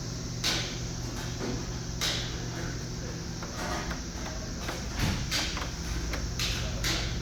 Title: Bad bearing surface. www.goding.com